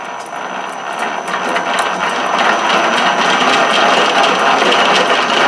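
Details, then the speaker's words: South Bend 13-inch lathe after repairing the sliding gear shaft and replacing the detent spring, running at higher spindle speed: fast steady gear chatter with rattling tick rising with speed; gear mesh noise suspected, exact gear not pinned down. "not keep that we're going faster than we were before so that could be a little bit more in the noise sounds like one of the gears in"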